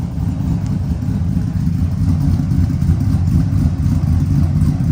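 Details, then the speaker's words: 1999-06 Chevy Silverado V8 with new Flashark headers and intake, revving: deep smooth rumble rising and holding, crisp and not obnoxious, no knocks or rattles; healthy engine. "Listen to that. You can hear that cam sing. And it's not obnoxious."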